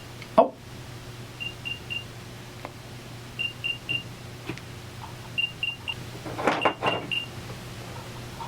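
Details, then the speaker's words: Apple AirPods placed outside the case, Find My locating sound: faint high cricket-like chirps in quick groups of three repeating every couple of seconds over room hiss; normal but very quiet. "That's the sound they make when you're looking for them with Find My iPhone. Hear that? Sounds like a bunch of crickets in your house."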